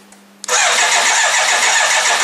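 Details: BMW K1200LT motorcycle being revived: starter spins the engine at a steady even pace but it never fires; fuel pump not heard at key-on, no power suspected at the pump, not confirmed.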